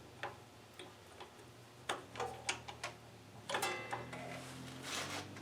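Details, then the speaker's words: MTD Gold tractor carburetor being reassembled: a few sharp, separate clicks as power is applied; the anti-backfire solenoid is clicking normally. "test that yeah i can hear that clicking"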